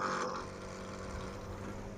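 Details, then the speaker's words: Refrigerator compressor, previously noisy from its spring-mounted internal fitting, run directly by wiring common/running and starting terminals: quiet, steady low hum with no knocking, rattle or clatter; running smoothly, the noise gone. "अभी इस on किया तो बहुत अच्छे से यहां पे चल रहा है ये आवाज़ नहीं ए रही"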